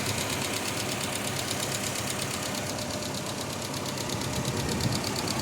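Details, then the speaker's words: Toyota Hilux first start after installing cylinder head and timing chain: steady idle with fast, light ticking on top from hydraulic valve lifters not yet filled with oil, expected to quiet down. "So maingay pa yan kasi valve lifter yan. So kapag na-build upan na yung mga lifter ng langis, ay titining na yan."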